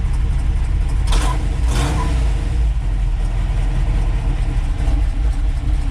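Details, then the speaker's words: 1962 Ford F-350 carburetted engine running after carburetor float and needle-and-seat repair; steady, deep, even burble with no harsh edge or misses, no longer screamy; healthy normal idle. "but yeah but i mean this is this is how it's supposed to sound you know not nearly as screamy just nice little burble"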